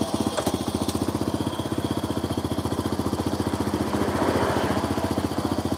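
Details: Supra motorcycle after engine rebuild, spark plug found not tightened: fast popping exhaust beat that surges and sags, never holding an even idle; rough unstable running, carburettor flooding.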